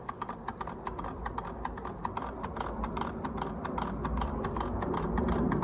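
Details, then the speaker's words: Restored George Carette 143 hot air (Stirling) engine on a wick flame, first test run after oiling; stops if finned end warms: light regular ticking about three to four per second over soft hum; running smoothly. "And it's got the fins to try and keep that part cool, which allow it to run longer. Because if this part warms up, it will stop running. It relies on the differential of temperatures."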